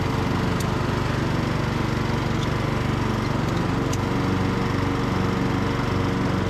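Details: Briggs and Stratton–powered Craftsman DLT3000 riding mower under mowing load on test drive: steady even single-cylinder thump, smooth deck whir, no misses or knocks; engine and blades healthy.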